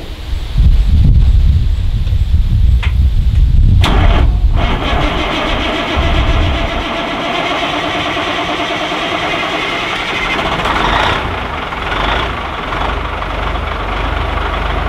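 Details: Caterpillar 3406B diesel in a Peterbilt cabover, losing fuel prime (stumbled and died pulling away); owner unsure if transfer (lift) pump is bad or a fuel line is leaking; heavy cranking, then catches but runs ragged and uneven.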